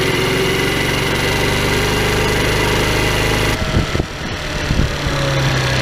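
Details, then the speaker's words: Tao Tao scooter with an open cone air filter replacing the stock airbox: small engine at steady revs with a loud, raspy, hollow drone like a bad exhaust; loud intake noise, stock filter refitted. "a so I didn't really like the way that sound it it just sounds like it's got a bad exhaust with this thing so we're taking this filter back off and I'm going to put this one back on"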